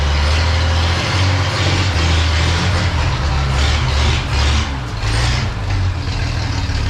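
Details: 1932 Chevy truck "Rockabilly Rat" before tune-up, plug wires just refitted, ignition points not yet gapped: uneven, lumpy, hunting idle under the low rumble; rough idle from ungapped points.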